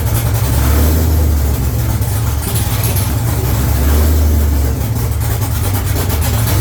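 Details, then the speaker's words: C5 Corvette first start after supercharger and fuel system install, no exhaust fitted, battery jumped: loud deep open-pipe idle swelling and sagging every few seconds; mild surge, still needs tuning, no fuel leaks. "It sounds damn good. It's way too loud because I don't have my exhaust on. But it sounds good, and guess what? Best part, no fuel leaks. There's a little bit of a surge, so we gotta get it tuned an"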